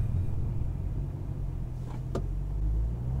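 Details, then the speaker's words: A 2006 Mustang GT V8 with new MSD Blaster coils and Champion 7989 plugs, fitted to fix an intermittent misfire, is at warm idle at a stop sign during a drive. It gives a deep, even low rumble with no stumbles or skips, completely smooth. "smooth absolutely smooth and the engine is nicely warmed up"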